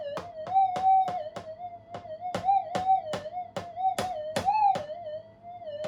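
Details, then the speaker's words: Upgraded Minelab GPX 5000 on full gain, normal timings, tracking on, over an ironstone hot rock: steady mid-pitch threshold with coil knocks; brief swells on the rock fade as ground balance tracking cancels its response. "But anyway, it'll basically, on full gain, remove the response from the hot rock."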